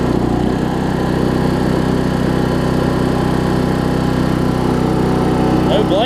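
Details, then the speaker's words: Weed Eater riding mower with a 16.5 hp Briggs single-cylinder engine. Steady, even drone holding speed with no stumbling or misfires. It runs well and drives. "okay we have a good running mower here and it drives we knew that"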